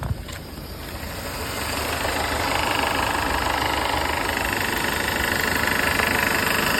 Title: W204 M271 rattling noise